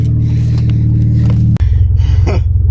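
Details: VS with blown head gaskets, idling; spare motor and full gasket kit incoming: low, lumpy idle that dips and labours, then sags further as revs drop.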